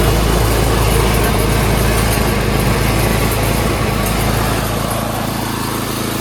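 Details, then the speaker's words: Craftsman 928 dual-stage snowblower, 9 hp Tecumseh engine, after carburetor cleaning (jets cleared) and a quarter-turn governor/idle adjustment for surging: steady even full-throttle drone with no hunting or surging in revs; normal full-throttle running. "Quarter turn on that, so now the RPMs are faster. That's idle. And as you can see at full throttle, no surging."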